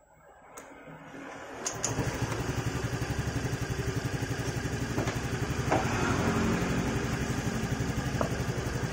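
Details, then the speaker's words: Fairly new Yamaha motorcycle after valve clearance adjustment with a 0.10 feeler gauge, set slightly loose: steady, even low putter at idle with no sharp ticking; the loud valve tick at idle is gone. "suaranya langsung beda ya langsung sedikit adem kan tadi ngelitik banget saat langsam seperti ini ya"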